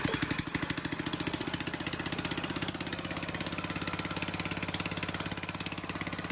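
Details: Old Murray push mower with a 3.5hp Tecumseh engine, hand-started after a carburetor rebuild: a quick, steady, even putter at constant speed with no misses or knocks. It runs cleanly.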